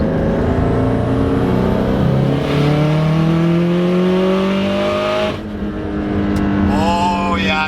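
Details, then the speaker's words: Subaru STI after cylinder 1 misfire fix, warmed up cruising at 100 then full-throttle pull: clean rising note through a gear change, no stumbles, boost cut or misfires, unlike before; fixed. "whoa hell yeah dude here that feels way better than before"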